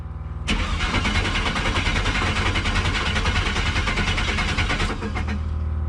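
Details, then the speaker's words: LS V8 (5.3) in an S15 hot rod just out of storage cranks steadily about four seconds but never fires; no fuel pressure because there was no fuel pump relay, so the pump gets no power. "You got fuel pressure? I think you're missing a relay or something. Yeah, possibly. Realized there wasn't a fuel pump relay."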